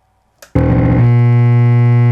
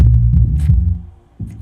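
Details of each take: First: A JBL RSW-D110 Subwoofer with a LOUD Humm/Buzz with nothing connected. I found one of the main filter capacitors was defective and needed re[placed. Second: JBL PSW-D110 subwoofer after repair of a loud hum (a defective main filter capacitor; all main capacitors replaced and the board resoldered): deep, clean bass thumps with no buzz or hum, so bass output is normal and the unit is repaired.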